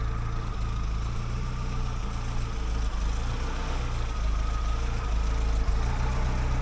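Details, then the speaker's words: 1956 Willys Jeep CJ5 with freshly rebuilt Hurricane engine, stopped on its first drive: low, steady idle with even beat, no knocks, ticks or misses; much quieter and smoother than before the rebuild. "All right. Way better idle than before. That idle is minty. It would never It never idled this quiet before."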